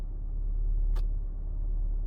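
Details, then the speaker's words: Saab 9-3 after replacing ignition coils (recent new plugs) for misfire codes, idle shaking, flashing check engine and power loss: smooth even idle, no stumbling or heavy rattling as before, check engine light off. "check engines zgasł [Aplauz] i nie słychać takiego mega terkotania jak wcześniej"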